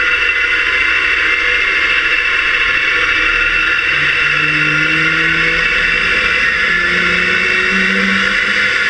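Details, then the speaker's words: Fairchild J44 turbojet on driveway run, camera in waterproof case under engine facing rearward, muffling loud sounds: after starter wind-up it lights off, steady high whine over a roar, tones rising smoothly; normal spool-up to idle. "when it lights off you can really hear that rpm start increasing and it comes up to idle"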